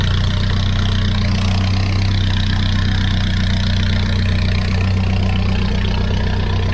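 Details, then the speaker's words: 1994 Nissan Hardbody engine at operating temperature after being torn down and repaired, no leaks seen: even, steady low idle with a smooth pulse and no knocking or tapping; normal idle. "Let's see what she sounds like. Man, she sounds good, y'all. Think we saved it."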